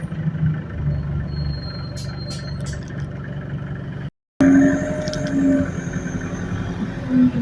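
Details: Go Ahead London Central ADL Enviro200 bus YX13AFY on route B16, riding aboard: steady mid-pitched whine over the rumble, holding its tone while driving; bus also has high idle RPM and turbo screech; whine source unclear.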